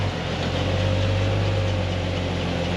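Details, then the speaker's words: 1999 Jeep Wrangler TJ Dana 35 rear differential, rebuilt after installer error in a bearing replacement and refilled with oil, tested on the jack: steady low drivetrain drone with no whine or grinding; sounds good. "It sounds good, I don't hear anything."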